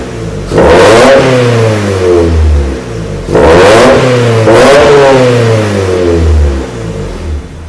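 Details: Revving after first start of a 2000 Miata NB engine, more or less stock, in a 1994 NA Miata: EDIS-4 crank ignition, Megasquirt, OBX cam sprockets, LC-1 wideband, cheap 4-2-1 header, Yonaka exhaust; two sharp blips falling back to steady idle, raspy note, healthy.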